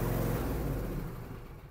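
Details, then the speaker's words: Dixon ZTR 54-inch mower engine after air filter and spark plug service, previously running rough like a diesel tractor; firm even engine note then smooth fade, no rough chugging; normal running. "well that sounds so much better"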